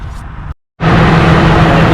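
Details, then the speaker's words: After A/C clutch and pulley replacement, car started with fan clutch refitted: after a brief cutout the engine runs with a steady, even low hum, no wobble or squeal from the clutch; healthy, air blowing well. "all right you guys the air is blowing amazing and i hear no more wobbling no more squirming oh that's beautiful"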